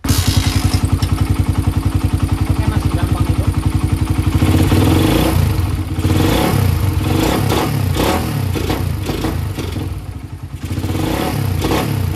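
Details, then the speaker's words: Motorcycle with PE28 carburetor, bypass hole enlarged to 0.9 mm: single-cylinder thump, then uneven stumbling blips off idle. Enlarged bypass affects only small openings, not mid rpm. Throttle hesitation at small openings. "Eng masih enggak enak ya jadi hanya ngaruh ke bukaan nol sampai bukaan Das sedikit aja untuk RPM tengahnya enggak terlalu berpengaruh"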